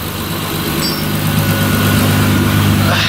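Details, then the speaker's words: 2006 Mitsubishi Eclipse GT idling right after RRE header install: steady, even idle with a deep, full exhaust note, no misses, ticks or knocks, light smoke from header grease. Normal idle. "It sounds deeper back here. Oh, it does, bruh. Bro, I feel like it's gonna sound like a 350."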